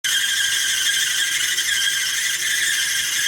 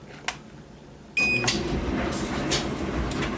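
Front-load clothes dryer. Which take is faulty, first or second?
first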